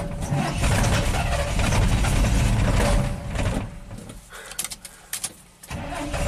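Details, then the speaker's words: 1987 GMC Sierra V8 plow truck: idles okay at a low steady rumble, then sags and stalls under load with backfires; fuel pressure holds at 10 psi, so spark or ignition timing is suspected. "It's not happy. At idle it's okay, and then blah, blah, blah. So we can put a scope on the ignition coil or put under a little bit of load. Nope, stalled."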